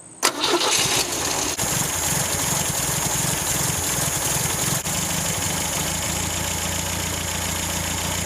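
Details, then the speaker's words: 1974 MGB after carb jets and pump jet were reset to stock and idle speed and mixture screws adjusted: the engine catches and settles into a steady, even idle with no hunting. The carb is dialed in and runs smooth. "I got this thing dialed in pretty good. It's running really, really smooth now. Definitely running happy."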